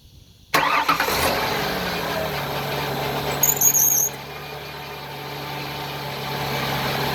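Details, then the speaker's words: 2000 Ford Windstar SEL, 3.8 V6, 204,000 miles, rebuilt motor and heads, new plugs, EGR, DPFE: cold start after two days sitting, catches quickly into a loud cold idle with a steady hum but uneven, lumpy throb; rough idle, cause not found. "The engine is absolutely cold. It hasn't been started in 2 days. So this will be a cold start, be somewhat noisy, but you'll see the vibration even as it comes down."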